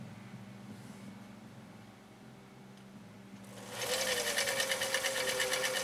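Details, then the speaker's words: 1955 Husqvarna Viking Type 21 Class 20 sewing machine (1.5 amp), restored, sewing decorative stitch 4 off cam A: quiet room, then smooth even whirr with steady needle tapping at constant pace; said to have done a brilliant job; normal running. "yeah it did a little bit better that time i think it heard me say the word fire it did a brilliant job on that stitch"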